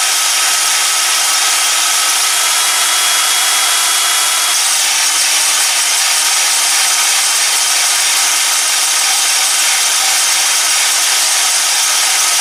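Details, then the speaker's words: Ozito DBS-095 drill bit sharpener, a couple of years in use, running normally: steady high-pitched hiss and scrape of the stone on the bit, no low-end rumble; not particularly loud but annoying. The bit had too much taken off, so only the leading edge is sharpening so far. "It's not particularly loud, but it's loud enough to be annoying."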